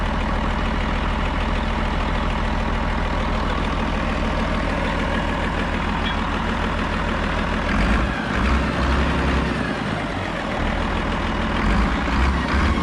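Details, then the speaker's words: 8.3 Cummins road grader diesel idling at about 25 psi oil pressure after removing pump drive off crankshaft rear (knock mostly gone): loose, uneven knock, lumpier after eight seconds; still hard-starting, owner suspects gummed injection pump with advance not working. "Yeah, you can kind of hear, I don't know, you know, that pump just may not be putting out what it should be. It might be gummed up."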